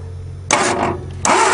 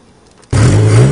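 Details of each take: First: 1961 Ford Anglia cold start after sitting about 10 years, engine not seized, jumper wire to the solenoid: steady quick cranking about three turns a second, never fires, possibly flooded; no spark found, points to be sanded. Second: 1961 Ford Anglia revived after being retired in a field, fed from a temporary gas can in the trunk with no coolant in the block, bursts in and settles to a full, steady, even low rumble with no knocks or misses: normal running.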